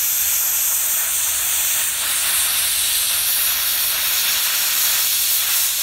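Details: Redbo ExpertCut 60 plasma cutter tested on site after repair, input diode bridge replaced: steady high hiss of arc and air with no sputter or breaks over six seconds; normal clean plasma cutting.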